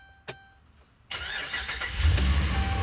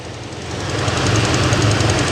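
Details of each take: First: Dodge Ram 1500 V8 after a no-start fault from no fuel pressure, fuel pump primed with a jumper wire: a click, short pause, then instant catch and strong steady rumble; normal quick start. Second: Dodge Ram 1500 Hemi V8 idling after a no-start fix: quick even ticking from an exhaust leak at a broken exhaust manifold stud, not a Hemi lifter tick.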